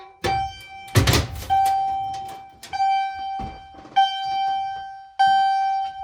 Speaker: So yeah, but we're on continuous right now, so yeah, single stroke, I guess.